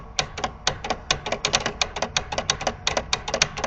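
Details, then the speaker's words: 1967 Williams pinball scoring reel, triggered manually with contacts bypassed: crisp quick clicks about six a second with no buzz, a healthy reel. Noisy reels were later cured by adjusting, shimming and replacing coil plunger stops. "perfectly normal and happy to not so much it's not the contacts they're being bypassed it's not the coils they're brand-new"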